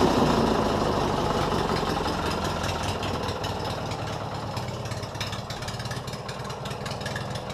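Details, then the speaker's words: Lawn mower build with new open exhaust pipes: loud, fairly steady but lazy chugging; struggles to rev higher and needs idle adjustment. "i think it sounds pretty decent for now but i'm still gonna have to do some idle adjustment to it because it's still having a little bit of problems revving up higher"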